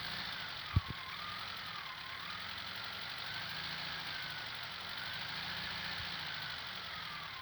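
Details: Air-cooled VW Beetle (Fusca) with a new Cinap alternator: quiet idle with a steady, slightly wavering high whine; owner suspects the new alternator's bearing and will return it under warranty.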